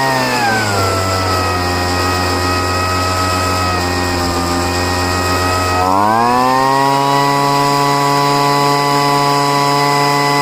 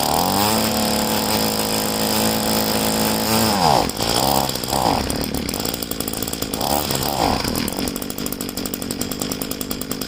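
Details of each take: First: Poulan two-stroke leaf blower, first start after five months stored, running after heavy priming and richening the high-speed mixture screw: steady, even buzz revving cleanly to a higher held speed, smooth with no hunting or stumble; runs fine now. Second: Poulan two-stroke leaf blower being winterized, fuel tank drained and primer bulb empty, run on choke toggled on and off: buzzy engine climbs and drops unevenly, stuttering and fading as it starves for fuel.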